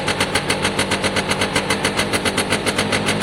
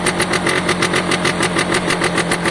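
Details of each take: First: Piaggio Diesis 100cc two-stroke scooter, battery out; crisp regular popping about 3.5 per second, then revs up smoothly and cleanly, a healthy running engine. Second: Piaggio Diesis 100cc two-stroke scooter idling, oil pump confirmed pulsing: steady idle with sharp puffing tick each firing pulse; small hole in exhaust seen, another leak heard but not located.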